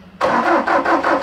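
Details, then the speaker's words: Bobcat T770 with Doosan D34 diesel, hard start, rough running and heavy black smoke: even cranking pulses about four per second, never catches; crank no-start, suspected low rail pressure from injectors, unconfirmed. "started so yeah so so no start so we're we're pretty sure that after the black smoke that we saw after it was running that we are fighting a low rail pressure issue"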